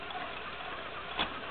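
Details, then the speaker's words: 1976 Yamaha YZ80 bottom end bought used on eBay, spun over for testing before splitting the case: a steady whir and a soft click at the shift, with no grinding. The gearbox shifts cleanly. "and fifth gear so that's one down and four up so now we're in fifth gear and we are flying down the road if everything was put together"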